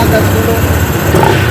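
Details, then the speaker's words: Honda PCX 160 scooter, which stalled after floodwater and was hard to start, idling after engine oil refill: steady even single-cylinder putter with voices over it; starts at once and runs normally. "langsung hidup ya Jadi udah enak banget tadi kan susah banget hidupnya Nah sekarang sekali stop langsung hidup kita ulang lagi ya"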